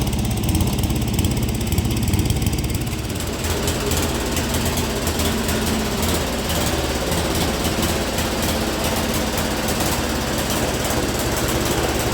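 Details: Speedex 1630 garden tractor on a new carburetor, with the old head gasket reused: a loud, uneven single-cylinder chug with irregular knocking and no steady beat, running rough, cause unclear.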